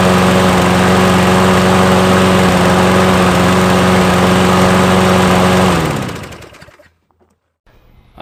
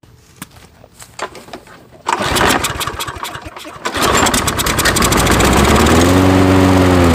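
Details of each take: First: Nearly new Toro mower with electric start, found discarded, on ethanol-free fuel with Sea Foam and a newly installed air filter. It runs smooth and even with a steady low hum for about six seconds, then is shut off. Normal running. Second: Toro mower with Briggs & Stratton engine, pull-started with starting spray: a few pulls, then it catches and revs to a steady run; starts only on starting fluid, owner suspects a carburetor blockage needing cleaning.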